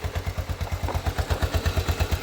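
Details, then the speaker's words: Postie bike single-cylinder after new Lambda MC carburettor and swapped fuel cap to cure flat spots, first pull start, idle not yet adjusted: even putter around seven beats a second, no misses or knocks; healthy idle. "That sounded alright for a first pull. Yeah. That's not bad. We haven't even adjusted the idle yet."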